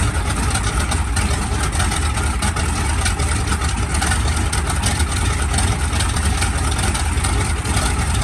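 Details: SB2C Helldiver engine on its first test run after an engine replacement, October 3, 2024: a deep, steady, even rumble with a constant beat and no misses or knocks; it runs smoothly.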